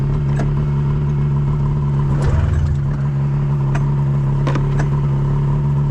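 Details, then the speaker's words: EFI snowmobile: steady low cranking drone with scattered clicks, never catches; crank no start, owner suspects flooding, sounds like it needs fire, cause not confirmed. "Hold the throttle down. Maybe I flooded it. It sounds like it's got to get fire."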